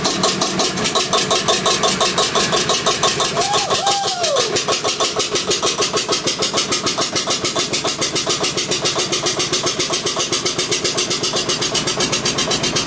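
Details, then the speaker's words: Witte single-cylinder diesel generator running after first start in 45 years, injection pump had been stuck, smoking: slow steady thumping with sharp exhaust beat each stroke; later shut down for no oil pressure. "well guys that was promising got it started we're getting a little action out of her"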